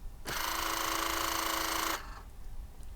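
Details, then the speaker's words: Cavalier, headlamp levelling switch stepped to position 3: short, smooth, even whirring buzz of a small electric motor for about 1.5 s; headlamp levelling motors working normally. "That sounds like that they are working."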